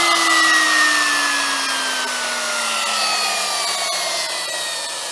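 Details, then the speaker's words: Makita double-insulated electric trimmer tested on an appliance tester; smooth high whine slowly dropping in pitch as it settles, no grinding or rattle, runs nicely with good torque and tests fine. "That sounds pretty good. It runs nicely. It's got a bit of torque, so there's a fair bit of power there."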